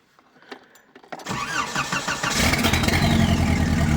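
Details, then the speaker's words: Engine start on a Škoda project after the faulty fuel pressure regulator was replaced, running original injectors, low on fuel with the pump partly sucking dry, no exhaust fitted; a few clicks, starter turns, then a clean steady idle; normal start. "Tak nakoniec bol vadny ten regulátor tlaku a konečne to ide tak, ako má. Som z toho veľmi rád."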